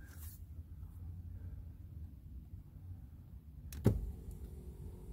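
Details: 2008 Range Rover Sport HSE driver seat after fix: connector under the seat unplugged overnight and reconnected, relay-like clicking gone; steady low motor hum with a single clunk as the power seat runs normally.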